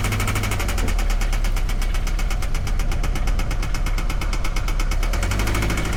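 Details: 2013 Scion FR-S at idle with a customer complaint of knocking: a rapid, even metallic tapping over a rough, heavy idle, keeping time with the engine; a misfire on cylinder 4 was found and a teardown is recommended.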